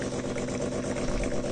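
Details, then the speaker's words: Philips HD847 coffee machine after cleaning a valve clogged with coffee oil, which previously ran but delivered no water: low, steady pump hum with gentle gurgling as coffee flows, no straining; brewing normally, repair complete. "В общем, на этом всё. Ремонт завершен. То есть, простая очистка клапана полностью решила проблему, потому что клапан действительно забился кофейным маслом."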